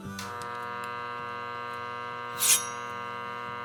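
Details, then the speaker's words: Motorcycle starter armature growler test with a hacksaw blade, checked all around after a washer short demonstration: steady hum with even tone, no blade buzz or rattle; armature normal, no shorted windings. "You can hear it there. I know it's very hard to hear, but there is a change in the sound of it. But as long as I go around here and check it, everything seems to be normal there. Nothing there."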